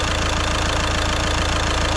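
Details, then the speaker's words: Caddy at 81,370 miles, restarted after a week-long job: engine idles very quietly and evenly, slight squealy belt at startup, no leaks; normal healthy idle. "That sounds absolutely so quiet, so quiet."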